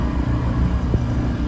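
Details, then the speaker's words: Fujitsu 9000 BTU R-410A inverter mini-split condenser with the cover off: steady even low hum of the inverter running normally. The system is icing up, likely a refrigerant issue. "i'm gonna take this cover off and i hear the inverter in there so that's good condensing coil"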